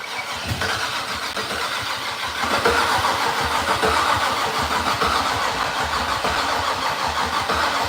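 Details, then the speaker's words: Datsun's first start attempt in three years: the starter churns steadily for several seconds but the engine never fires. Cranking sounded weak, and the battery is suspected to need charging; the cause is unconfirmed. "I wish we had some starter fluid let it chill maybe we might need to charge that thing back up a little bit start sounded a little weak that sounded a little better though very little very little bit better"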